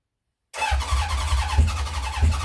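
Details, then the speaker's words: 1970 Honda CB750 K0, second start attempt after decades of storage, choke on, carbs primed with petrol by syringe: the starter churns it over with uneven chuffing pulses and the odd cough and splutter, but it never catches; cranks, no start. "So we'll give that a stop now. So some coughing, spluttering."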